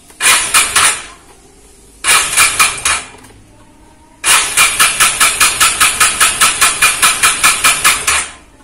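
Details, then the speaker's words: Vespa Matic automatic scooter that suddenly stalled after sitting unused about a month: three start attempts give sharp, fast clattering pulses then silence, never turning over or firing; starter fails to crank, owner suspects a weak battery from disuse. "nggak mau nyala seperti itu"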